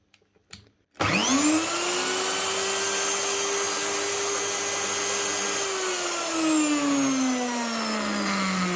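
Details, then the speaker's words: Virutex door mortising machine, very old: motor spins up to a steady high whine with a rough, gravelly undertone, then coasts down; worn motor bearings, to be replaced. "Yeah, that's the problem. Sounds like a bearing gone."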